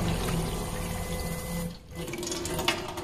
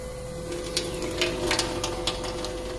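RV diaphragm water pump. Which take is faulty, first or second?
first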